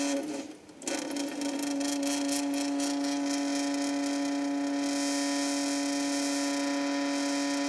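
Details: Sink: steady loud single-pitch buzzing hum over rushing constant running water, seemingly caused by the water stream; owner suspects a viscoelastic effect rather than resonance, not confirmed.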